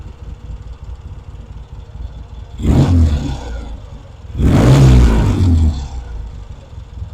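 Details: Vintage British motorcycle rebuilt from boxes, pilot circuit now working properly: two quick throttle blips climbing cleanly and dropping back to a steady idle, no misfire or clatter; healthy revving.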